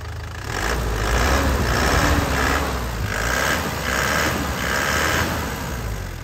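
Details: 2010 Isuzu Panther LS turbo diesel, throttle blips from idle: even, free-revving diesel clatter with no knocks or misses. Smoke is clean and vibration stable. Engine sounds healthy.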